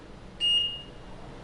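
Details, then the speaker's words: Travel Buggy City 2 Plus power wheelchair, joystick powered on, motor neutral levers set to manual: sharp high beeps repeating about once a second and chair won't drive; drive-inhibit warning, motors in freewheel. "and it starts beeping at me and not driving that means we are in neutral"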